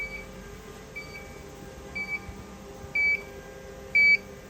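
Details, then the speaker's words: Mimaki JFX200ex flatbed printer, adjusting the ink negative air pressure with the throttle valve at the back of the beam: a high beep about once a second over low room hum, warning that the pressure (around -2.44) is not yet at target. "You can hear it's now beeping again."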